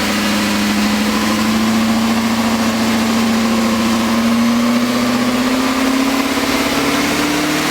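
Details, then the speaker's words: BMW S62 V8 just rebuilt, first start-up idle: steady idle with light fast ticking that tracks engine speed as revs creep up; lifter noise after rebuild. "Sounds like an S62 with some lifter tank, huh? You successfully rebuilt, so far, an S62. Congratulations! Hell yeah! Some lifter noise."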